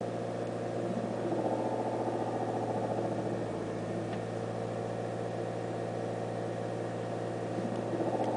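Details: T5 GP engine at steady idle with a light, rapid ticking about three or four per second from the engine bay, heard when the clutch is operated or when shifting; source not identified.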